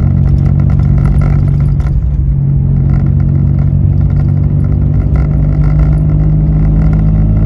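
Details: Citroen C1 (C1/107/Aygo), repaired rusty exhaust with removable dB killer baffle removed, heard inside the car while driving: deep, loud, steady drone with heavy low rumble, louder and deeper than with baffle in.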